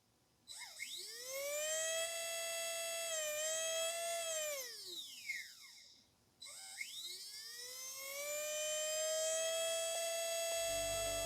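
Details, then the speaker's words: Spektrum Firma 150 V2 ESC from Arrma Big Rock driving motor in free air: whine climbs, then warbles around half throttle on the way up; throttle-curve step where ESC mis-drives motor. "what's going on here is there is a point in the throttle curve where the ESC is not properly driving the motor and it's causing a step to happen in the power to the motor"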